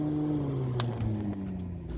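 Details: Restaurant kitchen hood upblast rooftop exhaust fan with brand-new replacement motor, first power-up: steady low hum at one even pitch, no squeal or chirp; fan motor running smoothly.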